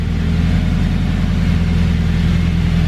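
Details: Honda Civic EK hatch with K20 turbo: deep, steady drone with an even low rumble and no squeal or chirp from the belt side; running smoothly and quietly.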